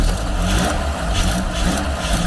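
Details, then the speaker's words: Garden-find Ford Capri, after getting fuel through, heard from the rear: steady even low rumble, smooth idle, no misses or knocks, not smoky; running cleanly. "that's a really even exhaust note that is running really well"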